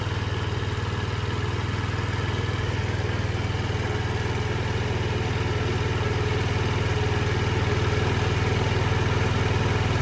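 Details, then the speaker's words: 2007 Diamo Retro 50 GY6 scooter with a new intake tube, running after starting fluid was sprayed into the airbox; fuel delivery is confirmed fine. Steady low putter at about four beats a second, even and unbroken. Normal idle. "And she's continuing to run, so we know fuel delivery is not the issue."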